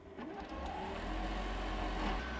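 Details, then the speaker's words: Zero Breeze 12V air conditioner running in a van with a temporary vent-pipe fix: a steady low hum with a soft airy rush coming from the vent, heard only right beside the van; normal operation. "this thing makes a little bit of a noise you hear a humming"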